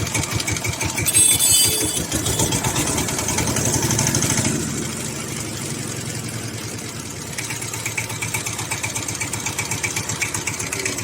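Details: SIFANG single-cylinder diesel power tiller after adjusting the part causing a bad noise; steady chugging about four even beats a second, no extra knocking; normal running.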